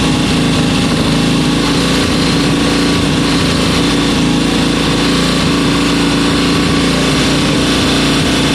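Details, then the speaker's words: 1972 Bonneville twin, about 50 years old, running after sitting about three weeks with power across the rev range: a steady, even beat with no misses, knocks or rattles; normal, healthy running. "honestly that that's so smooth that's well I say smooth it's 50 years old but it's got power in all of its rev range"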